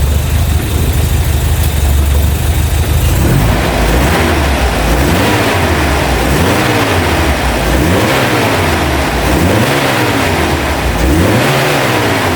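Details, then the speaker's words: Opel Manta GTE Exclusive started after sitting 30 years on old fuel, revved after a few minutes of warm-up with no leaks: even idle, then repeated smooth blips rising and falling cleanly, no misfire or knock. "oh that sounds sweet as enough"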